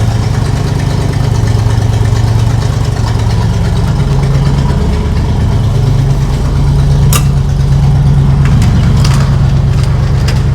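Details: 1976 Chevrolet K20 3/4-ton 4x4 truck, V8 revived after sitting for years; deep, steady idle with no stumble, likely after a new carb, no carb adjustments yet. Owner unsure if it was the carb or a vacuum leak.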